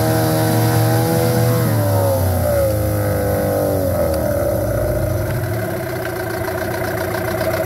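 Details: 15hp Yamaha two-stroke outboard test run after a carburetor cleaning and service. It buzzes evenly as the pitch climbs smoothly from idle to wide open throttle with no misses or stumbles, so it is running normally.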